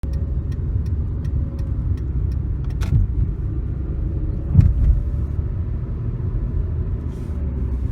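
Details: 2013 Hyundai Accent: a light, regular chirp about three times a second rides over the engine rumble for a couple of seconds; source unclear.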